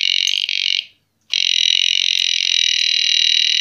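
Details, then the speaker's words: Oxford Screamer XA7 alarm with battery fitted, key inserted and turned: a harsh rattling croak sounds, cuts out briefly, then returns and holds, instead of the single arming beep; alarm croaking instead of arming beep. "I don't think it's meant to be like this. I don't know what's up with it. It's not hugely loud, but it's also not what I expect."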